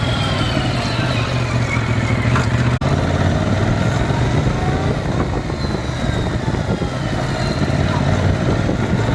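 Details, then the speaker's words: Yamaha MT-07 after the dealer fixed the chain noise (it sounded loose when new, noticed after about 600 km): steady, even drone with no slap or clatter from the chain; normal chain running sound. "now I'm going to show you what the chain sounds like after they fixed it"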